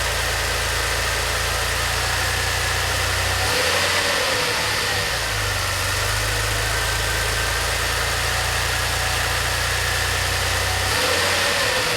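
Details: DeLorean, manual, warm idle after fuel/lambda/idle troubleshooting and idle control valve replacement: steady, even idle, smooth low drone, no knocks, misses or hunting; runs cleanly.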